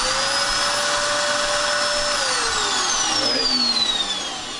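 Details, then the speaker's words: Dirt Devil Extreme Quick Vac vacuum, running but not picking up: high steady motor whine winding down with no brush noise; brush beater not spinning, broken style 15 brush roll belt, motor free-running. "The brush beater is not spinning."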